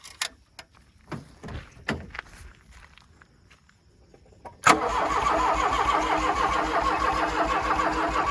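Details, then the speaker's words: 1984 Dodge Daytona Turbo Z, sitting a long time, cranking steadily at about three turns a second after a few clicks but never catching; no fuel delivery, fuel rail found unbolted and hanging. "So I think we know that this thing has fuel delivery issues. There's no fuel, so it's not gonna, oh, it dribbled out."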